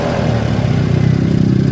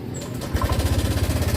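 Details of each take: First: Honda Vario 125 scooter after repair of a sudden rough rattle; even, steady idle picks up cleanly when blipped and settles back, no rattle or roughness: normal idle and revving. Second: Honda Vario 125 scooter at idle, rough noise began suddenly two days ago; fast, rough rattling tick about thirteen beats a second: cam chain rattle, from slack chain or chain adjustment, found as a broken tensioner spring.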